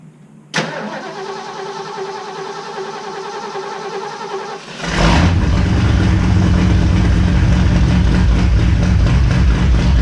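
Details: 1969 Ford Fairlane with a stock 302 5.0L V8 and 3-on-the-tree, cold start: a brief crank, fires first try and settles into a deep, even burble with no misfires. Normal cold start and idle.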